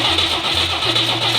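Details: 1964 AMC Rambler Classic, 90 hp inline six, mechanical fuel pump, points recently adjusted, spark and fuel present: the starter turns the engine over at an even rhythm but it never fires. Crank, no start.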